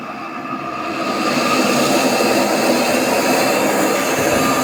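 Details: AEG Öko Lavamat 4100 washing machine spin test stepping through 800, 900 and 1000 rpm: roar builds as the drum comes up to speed, a harsh jet-like rush with a rough edge; worn drum bearings.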